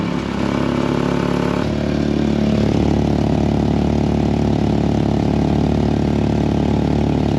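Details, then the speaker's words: Mk4 2.0 wagon, jacked up and started to find a worsening leak. Engine idles with a loud, raw puffing rasp in time with the firing; the stock resonator is leaking, not the U-clamp at the new downpipe. "Well, there's your problem. So, as it turns out, that U-clamp is fine. The stock resonator, on the other hand, is really leaking."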